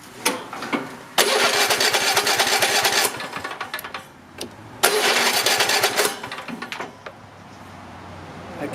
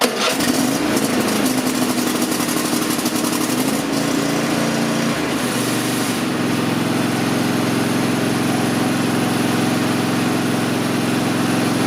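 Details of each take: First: Nearly new Cub Cadet XT-1 with a Kohler 7000 series 22 HP V-twin, hot after running: two long stretches of starter cranking, each a couple of seconds, that never catch because the choke was not pulled; hard start without choke. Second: Cub Cadet XT-1 riding mower, Kohler 7000 series 22 HP V-twin, warm engine, after correctly setting the throttle to full choke position to fix hard start; catches quickly and runs steady and even until shut off: normal start and run.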